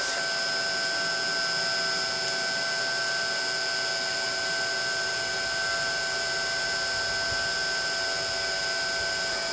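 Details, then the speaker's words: Glass-crusher electric motor on a 7.5 kW VFD ramping from 40 Hz to about 60 Hz, reaching 1803 rpm against the 1745 rpm nameplate. Smooth, steady hum with a fixed high whine, no knock or rattle; normal running. "so it should take this motor up to its name plate rpm and you can see it there in the background spooling up okay it's it 40 now stick it up to 60 or close to 60"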